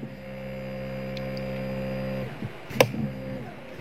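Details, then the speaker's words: Motorcycle electric starter driven through a homemade MOSFET (PQR F9540-type) replacing the starter relay, on a weak battery: strong steady even-pitched whir for about two seconds, then spin-down; starter turns briskly and freely, a normal spin. "tetapi dengan menggunakan mosfet ini dia keluaran arusnya cukup banyak"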